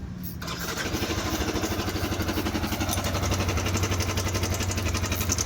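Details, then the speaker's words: Older-model Yamaha R15 with water getting into the engine, suspected through a failed water pump seal. It fires up and idles with a harsh, rhythmic mechanical rattle, possibly from worn internal bearings. The cause is suspected, not confirmed. "เสียงนี้ชัดเจนเครื่องเสียงนี้ชัดเจนว่าเครื่องปังสายเอกน้ำเข้าเครื่องน่าจะเข้าตังสินปั๊มน้ำครับ"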